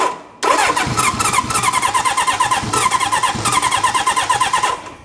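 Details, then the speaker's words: Restored 1972 Honda CB750 Four, fuel on, choke reduced: steady rhythmic cranking for about four seconds with no catch or pops, then it winds down. Carburetor problems are suspected since compression isn't low and timing doesn't seem off. "Well, it's not spitting anything back out of the carburetors. It is not popping out of the exhaust. I think it might be carburetor issues."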